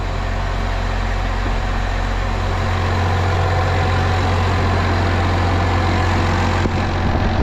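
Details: Case 305 diesel idling after a filter change, pump primed by cycling it six times: steady, even low idle rumble with no knocks or misses. Engine running sound.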